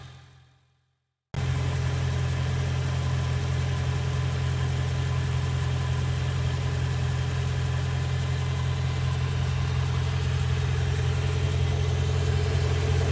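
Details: BMW M3 E92, November 2008, 88,000 km, mostly city driving: steady idle with fast even ticking, a sharp puff rather than a deep knock; exhaust manifold leak, not conrod bearings.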